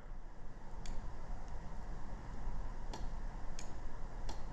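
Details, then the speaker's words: 2005 Toyota Matrix 1.8 L manual, no crank no start with good battery and starter: starter relay gives sharp isolated clicks but contacts show no continuity; faulty starter relay. "same thing we can hear it clicking but there's no beep so if we do this and do this this is what it should sound like but yeah we got a bad relay"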